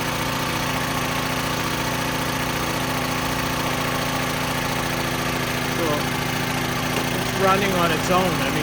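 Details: Small generator engine bought cheap, unknown condition, carburetor leaking, running on its own after start-up: rough, uneven, speed wandering as the governor hunts because it struggles to suck in fuel. Engine surging from fuel starvation through the dirty carburetor.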